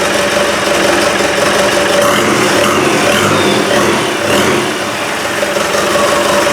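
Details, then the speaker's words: Land Rover 200Tdi diesel on first test start, alternator belt not yet fitted, a loose fuel pipe found: steady even diesel clatter at idle with no knocks or misses; runs healthy. "anyway that's good I'm happy with that I would like to have had it running for a good long while but now we know if you just put fuel onto that it's going to be a runner"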